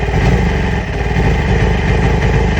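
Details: 2008 Yamaha R6: loud, low, lumpy idle with no clean rhythm; new ignition coils and spark plugs have been ordered, cause not confirmed.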